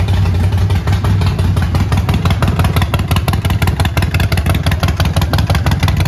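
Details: Neglected 2008 Harley-Davidson Sportster, primary fluid not changed: deep loping V-twin beat of about three pulses a second, steady and strong, no misses or rattle; runs really good with some power.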